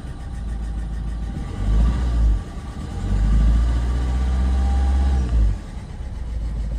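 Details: Renault Megane 1.5 dCi diesel with a faulty injector (scan flagged cylinder 3) swapped to cylinder 2 to confirm. It revs unevenly, surging and sagging in lumps instead of holding steady: misfire from the faulty injector.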